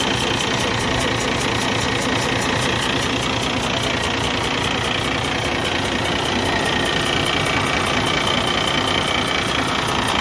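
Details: 2012 Cummins ISX15 diesel, engine repaired about 180,000 miles earlier, idling: steady rough uneven chuff with hissing puff each cycle, misfire and smoke; cylinder 6 leaking compression through cracked head, no power, coolant consumption.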